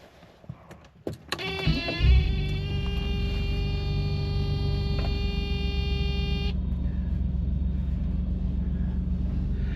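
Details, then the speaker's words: Mercedes W126 300 SEL at idle before intermediate pipe and resonator replacement: deep bass-heavy chuffing rumble; exhaust leaking from holes where pipes meet the resonator, drones loudly at certain rpm while driving. "So at idle, that may not sound too bad. It might be coming up as a little bit more of a bass-rich noise. But I tell you, when you're driving and you get a certain RPM and there's a certain resonance, it's loud, it just drones."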